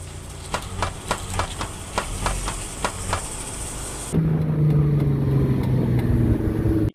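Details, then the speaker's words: Damaged car CV joint: sharp clicks about three a second over low drone, then a rising hum, when the steering wheel is turned. "Y como este elemento permite la redirección del giro dependiendo al giro de las llantas, cuando está dañado, suele crujir cuando gira el volante."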